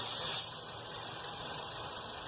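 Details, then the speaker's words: 2012 Chevy Cruze Eco 1.4L turbo with P0171 lean code and check engine light: steady high airy hiss over idle from a marked vacuum leak; plugging it makes the engine run better. "that's where the vacuum leak is so you can hear it hissing so if I plug it up"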